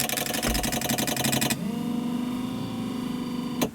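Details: 2002 GMC Yukon wiper motor, intermittently slow and not parking, varying with humidity: sluggish, labouring whir with uneven pulsing, then a steady drone; runs slow, traced to voltage on the ground side (bad ground).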